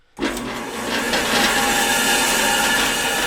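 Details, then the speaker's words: 1950s Duro antique bandsaw, renovated with a 3D-printed pulley, stock crowned metal wheels and a new blade: motor spins up fast into a steady hissy whir with some metallic rattle; normal running, just a little noisy. "There it is, working fantastically. It's a little bit noisy, but here, I'll turn it on for you guys."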